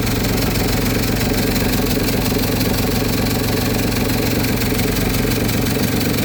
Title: exhaust leak